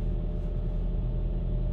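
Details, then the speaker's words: 2004 Toyota Camry four-cylinder, 198,000 miles, after a misfire fix: low, steady rumble with no stumbles or dropouts. The engine now idles smoothly. "all right that was said i feel the engine better"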